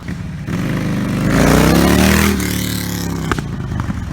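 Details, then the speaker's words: Harley Sportster-family V-twin with Vance & Hines Blackout 2-into-1 exhaust and quiet baffle fitted, on-street takeoff heard from rider with helmet; lumpy climbing note with a sharp pop: still backfires, slightly less aggressive, only a couple decibels quieter. "it still backfires. Alright, so that's that. Like I said, you can definitely hear it. It is a little less aggressive once you get it out on the street."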